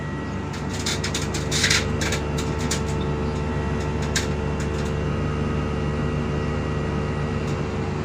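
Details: TCL 2 HP premium inverter split aircon after repairing a fault where it shut off and restarted by itself, set to 20 °C: smooth steady hum with light clicks, no rattles; drawing about 6.5–6.6 A, running normally.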